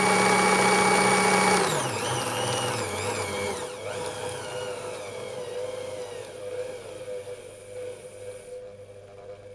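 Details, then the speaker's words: Singer 201k sewing machine with a DIY servo motor and speed reducer, running at its max speed of 540 stitches per minute. A fast, even whir at steady pitch, then a smooth, even wind-down. Healthy, normal running at full speed. "Max speed is 540 stitches per minute."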